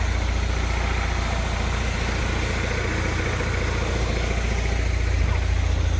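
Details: Honda Prelude misfiring, shaking more than it used to, with popping exhaust: a lumpy, uneven idle with a loping pulse about three to four a second and chuffing exhaust; owner suspects the spark plugs, not confirmed.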